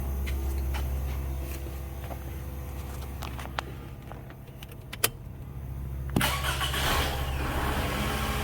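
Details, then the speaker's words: 2007 Toyota Camry after replacing an alternator that made a roaring noise: quiet, even idle with a few light clicks, then a crisp restart with no whine or roar. "Yeah, no noise. Noise is gone. It's quiet. It's a quiet motor."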